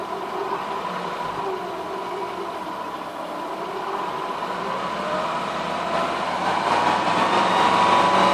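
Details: Ford Focus ST 2.5 idling after cambelt replacement and service: steady idle with a thin high whine on top that firms up toward the end, something belt-driven singing; the whining persists after the cambelt job.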